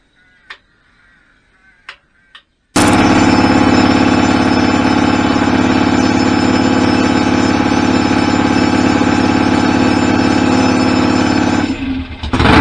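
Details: BSA A50 bought as a non-runner, first start after restoration with new pattern exhaust pipes: sudden loud start, then a hard, even exhaust beat holding steady with no misses; twin running healthy.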